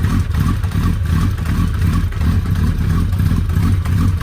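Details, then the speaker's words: Suzuki Hayabusa first start after clutch repair and refill with Motul 7100 10W-40: deep even beat with light throttle blips, no odd clatter or knocking; gear engaged, driveline clunks normal, running normally. "voilà on a passé la vitesse est là un voyage à l'air de mieux fonctionner sans bruit bizarre"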